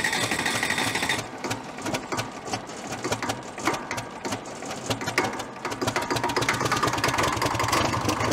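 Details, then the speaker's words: 1970s Cat D330C 4-cylinder diesel generator set, sat 10+ years, just started: fast even clatter at steady idle, no misses or knocks; oil pressure good; normal idle. "all right fuel yeah up good oil pressure good water you sound too bad"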